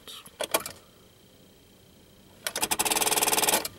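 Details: 2000 Subaru Outback after a new starter was fitted: rapid dry clicking bursts, about four per second, with no cranking; starter clicks only, traced to a dead short inside the battery.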